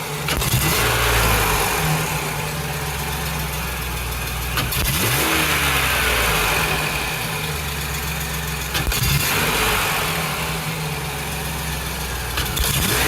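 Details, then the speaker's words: 2008 Chevrolet Express after engine swap, short run without upper radiator hose: V8 idle and light revs with occasional sharp snap and stumble; NGK spark plug wire on cylinder six arcing, causing misfire. "so I got another bad spark plug wire I'm never using ngks again this is number one"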